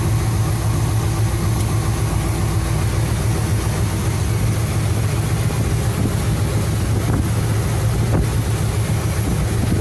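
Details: 1975 Cadillac Fleetwood V8 idling about 5 minutes during valve cover gasket replacement, being checked for oil reaching the top end (it does). Steady, even low idle with soft regular valvetrain patter, no knocks or misses; normal idle.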